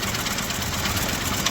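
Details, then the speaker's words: Honda City ZX petrol engine at idle: hard tak-tak-tak knock from a damaged block and pistons; on teardown the oil and water were found mixed and the inside rusted. "इसके इंजन में आवाज़ आ रहा है, टक टक टक सुन सकते हैं आप।"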